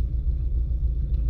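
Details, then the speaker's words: Porsche 924 after a warm-up regulator (WUR) cold start fix with new copper washers on the fuel lines, sat overnight: starts first time and settles into a low, steady, even cold idle rumble with no misses or knocks. "wow i don't believe it it's just started first time like on the button"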